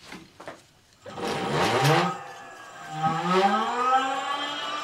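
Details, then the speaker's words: Sparta Maxx 70 e-bike, 48V front hub motor: silent on the thumb throttle from standstill until the wheel is pushed, then the whine rises as it catches, reaching 54 km/h; open motor phase from a broken phase wire. "normaal gesproken als je hem aanzet zo dan kun je gewoon met het uimgas gas geven maar dit klinkt niet goed"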